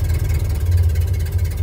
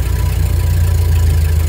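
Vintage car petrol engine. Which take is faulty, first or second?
second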